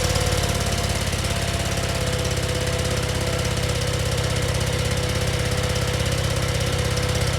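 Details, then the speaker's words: Scag zero-turn mower with replacement engine, fresh oil and new oil filter, first start: starts right away and runs with steady, even thumping, no misses, knocks or surging; running well. "started right away, and sounds like it's running pretty good."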